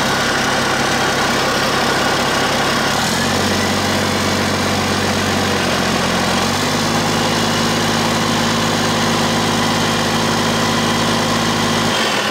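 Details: Cummins 8.3 (505 cid) in a Hyster, after changing manifolds and fitting a larger HX55 turbo with 11 cm housing, intake not yet plumbed: deep even diesel rumble stepping up in speed twice and holding smoothly; normal running.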